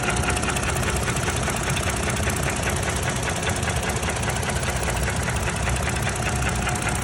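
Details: 2017 Toyota Tacoma, 2GR-FKS V6, idling: steady tapping knock roughly a hundred a minute over the idle, abnormal, with the source still unknown.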